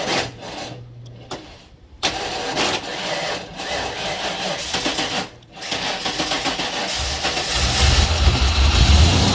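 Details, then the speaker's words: 1996 Ford F-150 that had not run in a year, with cleaned battery cables: starter drags slowly in short bursts and the engine never catches; the battery is dead. "there you go that battery is smoked all right I'll have to pick one up at U.S auto there"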